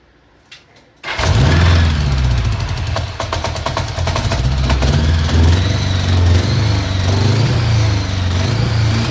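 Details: 1981 Honda Goldwing GL1100 project bike started with the key: quiet, then the starter catches and the engine settles into a smooth, deep, even idle with no knocks or misfires, a healthy start.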